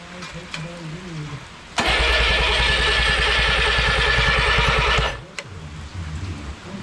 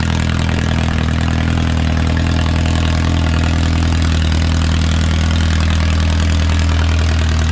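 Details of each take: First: Original Renault 4CV engine (circa 1949-52, welded cracked block) reassembled after ~70 years in parts, first start attempt: steady cranking chug of about three beats a second for three seconds, no firing; cranks but won't start, compression seems present. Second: Original early-1950s engine of a Renault 4CV (car a 1952; engine failed early 1950s with cracked block, weld-repaired), reassembled and run for the first time in ~70 years, warming up: deep even idle, steady low thrum, no misses, knocks or rattles, barely smoking; normal idle.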